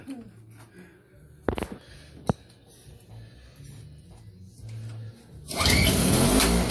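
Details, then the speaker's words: Toro CCR2500 5 hp two-stroke snowblower after carburetor cleaning: a few sharp pull-start tugs, then it catches loud and ragged; runs rough because the muffler is full of oil. "No, now it's gonna work, but it's full with oil on the Carburetor. Muffler. Yeah. Oh, muffler. muffler is full."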